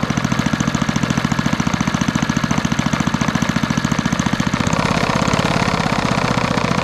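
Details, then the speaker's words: 1964 Wards Power Kraft 110 V 1250 W generator with a small Briggs & Stratton engine of about 3 hp settles into a steady, even, fast putter with no misses after a carburetor mixture adjustment that let it idle. "There we go. Just needed a little bit of adjustment, because otherwise the generator will never idle"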